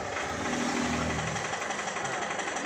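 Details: Isuzu Alterra diesel with hard starting, low power and check engine light: steady idle with hard even clatter at engine speed, fuel knock; cause a harness wire at engine front grounded, fixed by wrapping in electrical tape.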